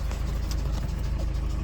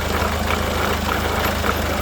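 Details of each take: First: Peugeot Partner 1.6 HDi diesel at idle: rough rumble with a sharp puffing tick about three times a second, audible from afar; compression leak from worn injector seals. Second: Peugeot Partner 1.6 HDi diesel idling after injector seal replacement: steady, even idle with smooth low hum, no ticking or knocking; injector leak noise gone.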